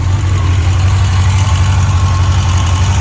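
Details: 2005 Yamaha FJR1300: deep, steady four-cylinder idle with a light, fast tick at a constant rate; ticking at idle, cause not stated.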